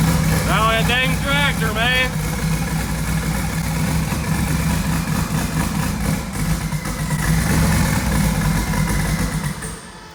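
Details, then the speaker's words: LS-swapped twin-turbo first-gen Camaro on 93 octane instead of E85 with a newly loaded tune, running rich: irregular loping idle with a coarse tractor-like chug. Four passenger-side coils were left unplugged, so that bank had no spark; misfire. "all right well turns out i'm a complete idiot because i left all of these coils unplugged so all four of those banks on the passenger side were getting zero spark so that will make a pretty big difference on how it runs"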